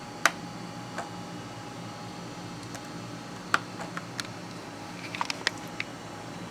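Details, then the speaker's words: Hard drive in a machine that goes through drives quickly, making sharp isolated clicks at irregular intervals, roughly one every few seconds, over faint fan hiss; it clicks far more than when first installed and is starting to fail. "That drive was fine when I first put it in here. Well, okay, not quite, but it wasn't clicking nearly as much as it is. You can hear it's making a whole lot of noise."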